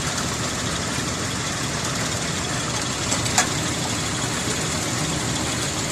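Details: 2001 Ford Explorer 4.0L V6, idle after reseating plug leads and torquing left exhaust manifold bolts: steady idle with even hiss and hum, a touch rough, no ticking puff or smoke; normal idle, manifold leak apparently fixed.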